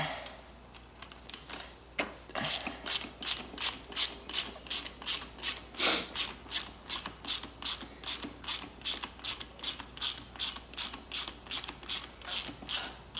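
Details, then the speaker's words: 2007 Suzuki RM85 two-stroke in first gear with the engine silent: a sharp, bright, metallic ratcheting click about three times a second; owner suspects a failed clutch, not confirmed. "that is first year does not sound good at all does it"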